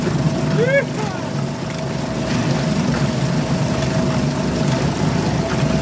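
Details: Suzuki DF2.5 2.5 HP outboard, long stored and not starting, after fuel tap and tank vent opened: steady low, even putter with no misses or surging; idling smoothly.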